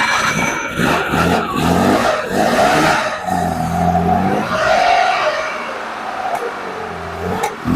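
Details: Engine with freshly rebuilt Zenith 40TIN carburetors, first start after rebuild with fuel primed and accelerator pumps working. Rhythmic cranking gives way to an uneven catch and rising revs that hunt a little before settling.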